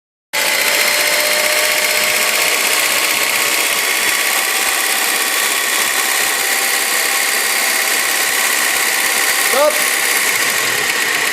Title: bruit moteur k20